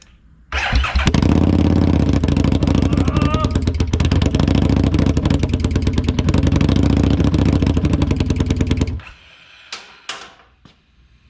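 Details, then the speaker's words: 2017 Harley-Davidson Street XG750 fuel-injected liquid-cooled engine on a test stand, cooling system not connected, after shipping damage: cranks, catches within a second and holds a steady, even low rumble before shutting off; runs healthy. "It runs. Super excited, super happy. This bad boy is going to make for a great transplant into a nice little project that we got coming up."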